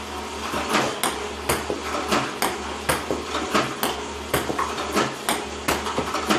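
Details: iPong Pro ball launcher, 4 weeks old with about 2 hours run time, clean Joola 40mm balls, power cord fully plugged in: uneven hard knocking shots about forty a minute with wandering spacing; misfiring is becoming more frequent, cause unknown.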